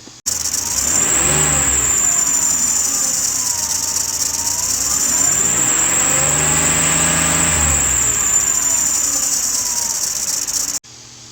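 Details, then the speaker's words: 2006 Ford Explorer 4.0 SOHC with a loud, constant tire-like screech from under the hood that gets louder with acceleration; owner suspects the A/C compressor pulley, and the drive belt, tensioner and idler pulley were later replaced. "okay and it's constant if you accelerate it it gets louder"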